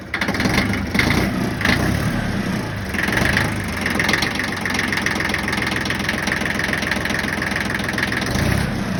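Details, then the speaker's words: Yanmar 1601D / John Deere 750 diesel tractor after freeing a gummed-up governor rack plunger with lube following a winter of sitting: steady, even idle clatter with no hunting or surging; normal idle restored. "Then just to show you all the end result that I did get the idle to cooperate, we'll fire it up."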